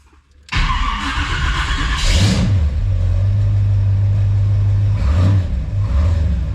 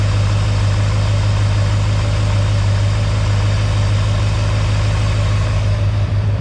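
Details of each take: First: Chevy 350 small block (mini starter, erratic overheating) cold start after shimming starter and reconnecting wire at bell housing bolt: cranks briefly, catches into lumpy cold idle, slight gear chatter, less than before; owner wonders if starter alignment was the cause, earlier suspected cracked ring gear. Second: Mystery 350 Chevy small block after shimming the mini starter. The shriek is gone, but overheating and smoke on one side remain. Steady, even low idle rumble with no starter squeal, running smoothly.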